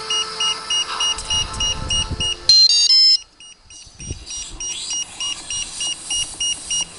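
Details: Iris+ radio transmitter: short high beeps about three times a second, broken once by a brief chime, then continuing; continuous warning beep, cause unknown.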